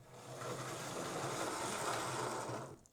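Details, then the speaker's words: Hornby A4 Mallard model locomotive with a CD motor conversion, drawing about 100 milliamps: a smooth, even hum with none of the high-pitched whine such conversions often make. The motor sounds healthy. "That doesn't seem to be making the horrible whining noise that I've heard come out of CD motors before. It appears to be pulling about 100 milliamps."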